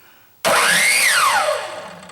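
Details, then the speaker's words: Craftsman 10-inch miter saw brought in for intermittent starting, trigger pushed fully: sharp switch-on, motor whine sweeps up and winds down, starts cleanly; faulty switch partially engaged and tripped the brake circuit, later replaced. "i push it forward all the way comes on the way it should"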